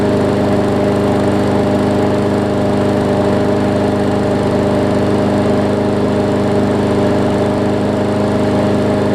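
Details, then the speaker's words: Newer Murray push mower, after shortening the spring: smooth, even drone at full working speed with steady pitch and no surging or misses, normal running at correct rpm. "that is definitely better i might see if i can shorten it up just a little bit more just so it you can get some throttle adjustment to it"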